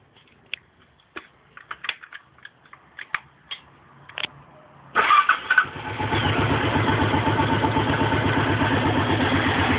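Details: Suzuki DR 750 single-cylinder motorcycle started cold and idling with a steady hard knock from the top end; it quietens and disappears once warmed up.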